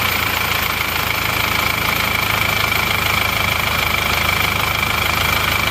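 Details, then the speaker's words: Isuzu Panther diesel from Madura, started in the morning: steady run with hard rattly clatter and sharp metallic edge, rougher and louder than a typical Panther; engine considered acceptable but owner wants a rebuild, cause not identified. "Oke ini suara mesin emang agak lebih kasar daripada Panther pada umumnya Nah makanya ini pemilik juga kurang puas ingin dihaluskan"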